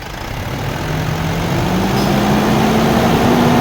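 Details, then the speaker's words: 2010 Mitsubishi Strada 4M41 turbo diesel, code P0089, after replacing all injector washers and reinstalling the injectors after calibration; no fuel knock after 5 minutes, but revs climb slowly and flatten out, won't pass 2,000 rpm; low power persists. "Ay hanggang ngayon ay patuloy pa ring pag low power ng makina."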